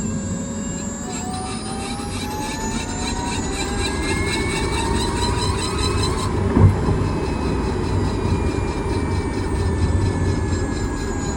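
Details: Kia Niro EV driving: over road rumble, rising motor whine with a rough, pulsing grind that quickens with speed; cause unknown.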